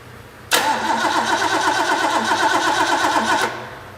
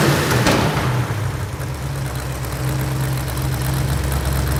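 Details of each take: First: Rebuilt Ford V8 from a 1972 De Tomaso Pantera barn find, after correcting ignition timing that was 180 degrees out: cranks, catches cleanly and runs with an even steady beat; headers leaking at cheap header gaskets. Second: Rebuilt Ford V8 from a 1972 Pantera barn find, fully warmed up: sharp puffing tick on every firing pulse; headers leaking at the cheap stamped-steel header gaskets from the engine kit.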